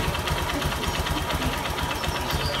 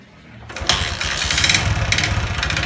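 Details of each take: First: Honda Verza single-cylinder idling quickly and evenly with only light valve tick and no deep knock; owner found scored, damaged piston causing clattering and white smoke, valves, camshaft and timing chain checked fine; healthy-sounding idle. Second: Honda Verza emitting white smoke, piston found scored: catches into rough idle with loose uneven clatter about four knocks a second; piston slap, con rod also suspected.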